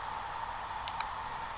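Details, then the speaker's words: Laptop hard drive in an external enclosure during a data recovery attempt: steady, quiet high hum with one or two faint light ticks as it spins up normally, then is detected (232 GB) and works. "so let's turn it on and hopefully it'll spin up"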